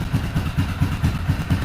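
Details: Yamaha Kodiak 450 ATV that would not start, spark confirmed, running partly on choke while warming: low thumping idle about four to five beats a second, slightly uneven and loping; rough idle, owner suspects choke or throttle adjustment.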